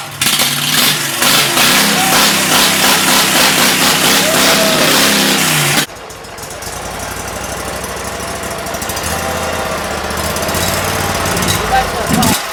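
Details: 2006 Mud Buddy HD Mini, 23 HP Briggs Vanguard, with new Backwater Performance X-Flow Lite muffler: loud raspy exhaust with a steady throb under throttle, settling to an even quieter idle, no misses or knocks; normal running.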